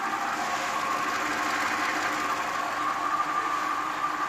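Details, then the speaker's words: 2017 Audi Q7 supercharged engine running: steady whirring grind with a thin whine from a failing water pump. "that's the sound of a bad water pump"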